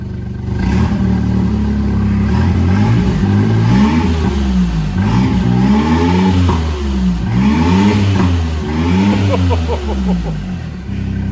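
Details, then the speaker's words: 660cc three-cylinder engine just fitted with an N2 ECU, upgraded turbo and injectors: revs climb and fall cleanly in repeated blips with pops on the overrun. Slight manifold smoke is thought to be oil burning off. Normal revving. "got the pit pops we got a little bit of smoke coming from the manifold either"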